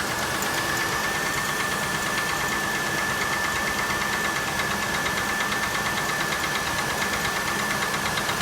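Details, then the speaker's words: 1997 Oldsmobile Cutlass Supreme SL, engine overheated many times; dull regular knock about three per second over an uneven idle; only code was cylinder 6 misfiring, owner suspects bad valve at number 6, engine to be replaced; engine knock. "It doesn't sound bad. You can hear a definite knock."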